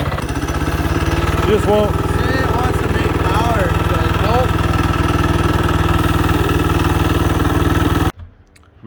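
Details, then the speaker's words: Mini bike single-cylinder engine after new carb, high-compression head, thin head gasket, coil, plug wire, fuel and exhaust: rough uneven chuffing about four per second, never settles; suspected very low compression or mis-timed aftermarket cam. "we're either so low in compression that she's just not gonna work or there's potential that he has an aftermarket cam in there he didn't tie it properly"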